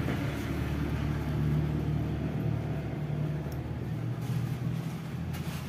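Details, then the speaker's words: Ceiling fan after bearing service, with the bearings greased and repaired rather than replaced, runs with a steady, even low hum and no grinding, rattling or squeal; the earlier noise is gone. "मैंने आपको पहले आवाज बताया था कैसा था fit करने के बाद कैसे आवाज आता है बता दू देख सकते हैं"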